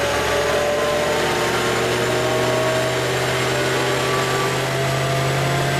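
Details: Car after JLT cold air intake install and SCT tune, before dyno run: smooth strong drone holding high steady pitch, no knocks or rattles; engine running clean, normal revving.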